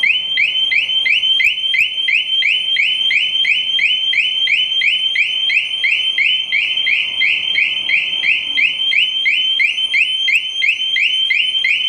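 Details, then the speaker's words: 2007 Sportster 1200 Custom on a lift during battery removal. Its security alarm sets off a loud, high-pitched warbling chirp about three times a second, triggered while trying to pull the 30 amp maxi fuse. "Good gracious. What kind of security thing is on this? It sounded like I was robbing a bank."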